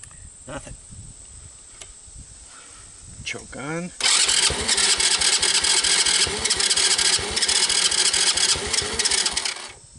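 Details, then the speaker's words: 2006 Baja Wilderness Trail 90cc ATV first start with starting fluid, carbon-fouled plug: small engine runs at fast idle with loud, rough, rattly clatter; suspected bad clutch, no smoke, cause unconfirmed. "oh the clutch sounds like junk trying to choke off not even trying you guys hear those bad sounds"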